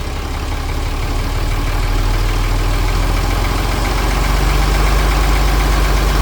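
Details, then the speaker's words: John Deere 4020 Hi-Crop Powershift diesel, first start after sitting, fresh fuel and batteries, primed with ether, no throttle input: heavy idle drifting up and down by itself; injectors or pump suspected; unsteady engine speed. "we had like no throttle response when you're hearing you know different levels of the RPM that that wasn't anything that I was doing on the other side"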